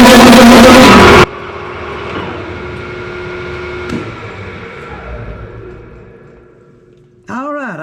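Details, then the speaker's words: Large lathe drilling through a thin part with a large bit: loud harsh wavering screech from the cut dying as the spindle winds down; part chatter, remedied with a rag. "I didn't want to go too much, but making a pretty good racket."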